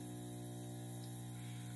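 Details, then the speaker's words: Magnum Energy MS4024PAE 4000W 24VDC inverter/charger just initialized on 240V, charging: steady unchanging low buzz at twice mains frequency; normal transformer hum under heavy charge load. "there we go you can hear the buzz in the back"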